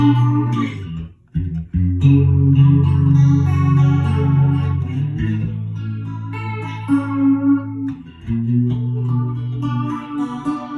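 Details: Electro-Harmonix vintage 16 Second Delay after repair (filter caps replaced, frayed wiring cleaned up; was no delay): clean guitar notes with steady even repeats, no crackle, dropouts or hum; delay working properly.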